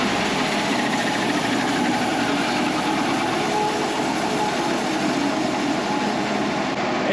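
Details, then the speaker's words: Wood-Mizer LT35 sawmill's 25 hp Kohler engine after carburetor swap (old carb sputtered badly at idle), started cold without choke: even unbroken drone, no misses or sputter. Normal running after repair. "that right there sounds a world of difference"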